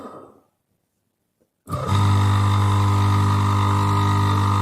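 Silence, then the motor starts and settles into a steady, even hum with no rubbing or rattle; runs normally.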